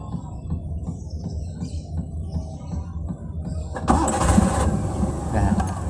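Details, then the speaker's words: Daihatsu Hijet 1000 (Bagong), 1000 cc three-cylinder, well maintained: catches at once and settles into an even idle with a steady rhythm and no knocks. Healthy start. "Langsung nyala ya, karena sangat terawat, starterannya mudah, suaranya pun cukup halus ya."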